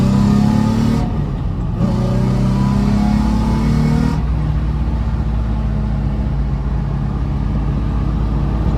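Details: VQ-swapped Nissan S13 240SX with CD transmission, stock headers, no cats, after exhaust rework with added bends tied into the existing system: revs up cleanly and drops to a smooth, even idle, deep tame note, no rasp or drone.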